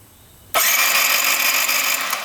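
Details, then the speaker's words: 2022 Benelli 302S motorcycle; starter whirs steadily but engine never fires, with the fuel injector removed and not squirting any fuel; owner suspects no power to the switch or no fuel reaching it. "Uh-oh. It's not squirting at all. You need it. Nothing squirting. Well, that's not good."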